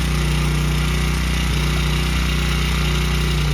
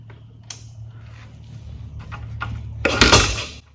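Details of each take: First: Honda CRF100F kids' dirt bike during restoration, restarted after choke-off high idle while idle screw is turned down: small single putters at quick steady idle, constant low drone, no hunting or missing; normal idle. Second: Honda CRF100F kids' dirt bike being restored, started and run without choke; catches after a few bursts, settles into fast steady high idle, running better than before; idle set too high, to be turned down.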